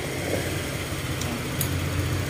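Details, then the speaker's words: Secondhand Honda Click scooter after repair of noisy crankshaft (sigunyal) problem, pulley removed, timing set: steady low even idle hum with no knocking or rattling, now quiet and standard unlike the very noisy engine before; oil neglect blamed; normal idle. "Ayan, diba tumahimik na. Wala na yung ingay, hindi tulad nung unang-una, sobrang ingay. Ayan, standard na yung tunog nya."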